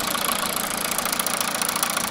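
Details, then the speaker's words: 2009 MINI Cooper D R56 PSA diesel, 136,000 miles, telescopic microphone in engine bay: sharp regular tapping over idle keeping time with engine speed; owner thinks injector/cylinder one area is tapping, top-end fault unconfirmed. "they've definitely got a nice tapping there so these have a strange cylinder numbering i think this is cylinder one as it's a bmw car so i think it's inject a one that's tapping away"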